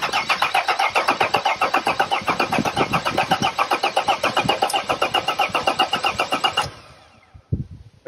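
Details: T1N Sprinter diesel, five-cylinder, cold, cam sensor unplugged for an injector leak-off test: steady starter chug about four to five beats a second for nearly seven seconds, never catching; cranks with no start, deliberately, engine also had a no-start fault.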